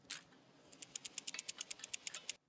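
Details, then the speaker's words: Old driveshaft center support bearing from a 1997 BMW E39 540i manual at about 260,000 km, spun by hand after removal: rough, gritty ticking about five per second; worn, definitely needed replacement. "just to give you an example with the old bearing sounds like as mentioned earlier it was definitely in need of replacement"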